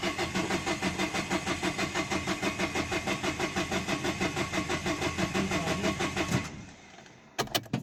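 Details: 2011 Dacia Sandero Stepway, 1.5 dCi diesel, with a rail pressure sensor fault code. The starter turns it over in steady pulses, about three a second, for six seconds, never catching: cranks, no start. The cause was still unknown and the car was towed.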